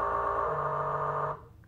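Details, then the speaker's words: BLDC 6384 140kv motor on e-bike controller, color-matched phases set to forward: runs backwards with a buzzy rough loud whine cutting out after a second; wrong hall/phase wiring sequence makes it run incorrectly. "it says forward look it's running backwards and it doesn't right run correctly it's sort of loud see"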